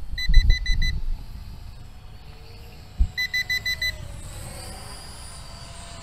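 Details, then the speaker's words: SMRC M21 220 g GPS drone in flight, well under 30 minutes airborne: two bursts of five or six quick high evenly spaced beeps over faint motor hum; owner suspects a low battery warning. "That's probably a low battery warning there. So I'm sure you guys can see there's no way we've been in the air for 30 minutes. It's just telling me that the battery's getting low."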